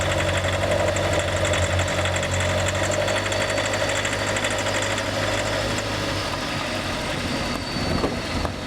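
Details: Honda City EXL 2020, bought new, about 19,000 km, noise began early and grew worse, dealer couldn't locate it and denies warranty: idle with uneven knocking tick, two or three a second, over steady hum; source unclear.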